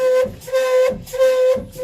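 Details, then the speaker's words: Well-water iron filter valve during a forced backwash gives a loud, pulsing horn-like honk about every half second, shaking the pipe; valve seal vibration, not the backwash button or an inlet blockage. "I think that would drive me pretty nuts pretty quick. I mean, it's shaking the pipe. It's almost like there's something stuck in here."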